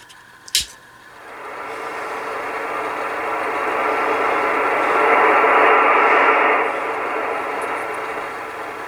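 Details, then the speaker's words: Kenwood TS-520 transceiver after cleaning, set to upper sideband on 20 m near 14.250 with the heater switch off: a soft, even hiss with no hum, crackle or squeal. Normal receiver background noise. "you can hear there is noise in the background"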